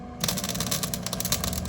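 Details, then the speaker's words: Flux-core welding by a first-time learner: short sputtering, choppy crackle instead of a steady buzz as the wire stubs and keeps sticking because the tip is too close to the metal; needs a small gap between tip and metal. "Back off a little bit. You're too close. See, that's why it keeps sticking, because you're like, I guess I didn't tell you that you got to have a little bit of a distance."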